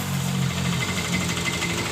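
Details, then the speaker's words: Yamaha Mio M3 scooter at idle: rough, uneven rattling clatter from the left CVT case that disappears when the throttle is opened; the bike was under-serviced. "dan ketika kita menarik tuas gas suara dari Klotok dari bak CVT ini hilang"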